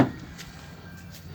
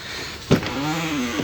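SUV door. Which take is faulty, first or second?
second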